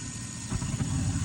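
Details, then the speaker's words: 23-year-old Carrier gas furnace, after the burner ribbon found pushed about half an inch off the igniter was bent back so gas reaches it: soft whoosh as the burners light, then a smooth even low rumble; normal ignition. "so we should have clean ignition we should have enough fuel hitting that ignited to actually ignite"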